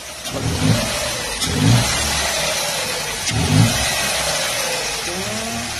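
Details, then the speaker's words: Ford Ka Zetec Rocam after replacing the hydraulic timing chain tensioner that no longer held pressure, with the chain guides checked intact: the engine blips and settles smoothly with no chain rattle, and the timing chain now sounds healthy. "Pode olha aí. Cadê o barulho? Resolvemos rapidão aqui, graças a Deus."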